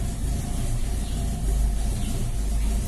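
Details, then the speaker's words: Ford Maverick 302 V8 after carburetor cleaning with Car 80 decarbonizer chemical bath: deep, steady idle with an even lope, no stumbles or hunting; idle now correct. "É isso aí. Marcha lenta ficou certinha."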